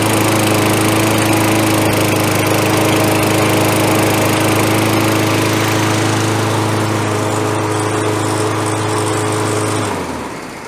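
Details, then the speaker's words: Roadside Toro Recycler 20016 mower with a frayed self-propel cable, running after being revived: a small single-cylinder engine holds a steady, even drone for about ten seconds, then shuts off. Testing drive: only one front wheel pulls. "Tell you what, as a little experiment, let's start it up and see if it'll actually make the front wheels go or if we're just wasting our time. Fire this thing back up."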